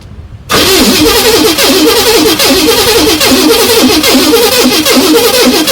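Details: 1979 Pontiac Trans Am stored in a garage over a decade: steady rhythmic starter cranking with even compression pulses that never catch; engine turns over but is fuel-starved, with gas about to be poured in.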